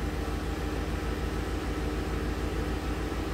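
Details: 2010 Ford F-150, towed in after stalling and crank-no-start, codes P025A, P0690, U0109, idling in the shop with the fuel pump module bypassed, pump drawing just over 10 amps: steady low idle, even pulse about three per second, no misses or knocks.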